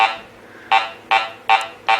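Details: Garrett Ace 400 metal detector air test on a small BB at about 3 inches; five short mid-pitched beeps roughly every 0.4 seconds as the coil sweeps, clean target response.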